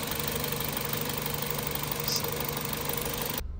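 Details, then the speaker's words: 2006 Toyota Corolla after replacing the faulty ignition coil: steady, even idle hum with a smooth low rumble and no stumble or shake; no vibration when driving or reversing, problem solved. "Ayan guys after nating mapalitan ang ignition coil at verify natin na sira yung ign ko ay nagdrive tayo hindi na nanginginig ay reverse hindi si nanginig so solve na yung problema natin guys"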